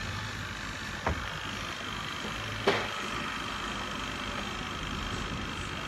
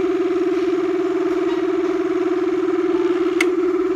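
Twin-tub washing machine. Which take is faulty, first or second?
second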